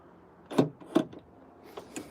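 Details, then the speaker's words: Nissan Note rear hatch lock actuator after reconnecting broken wires, lock button pressed: two sharp clunks a fraction of a second apart, then softer clicks; working properly. "so let's have a quick check at the actual lock here. So if we press the lock and it works, then yeah, you can hear that."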